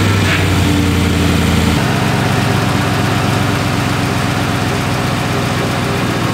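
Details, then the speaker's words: 2017 Chevy Silverado 5.3L V8, 88k miles, idling: a light, quick lifter-like tick over the rumble, louder on cold starts near the driver-side fender well. A stethoscope traced it to a worn brake vacuum pump, which was then replaced. "all it has is a pretty annoying tick sound sounds like lifter tick just a little bit lighter"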